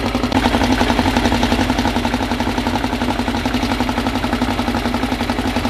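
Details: Freshly assembled 2054 engine on its first start after nearly a year of building, carbureted. An even, quick-pulsing idle around 1200 rpm with a faint gear whir underneath; the idle is kept high for break-in and may be lowered later. Normal fast idle.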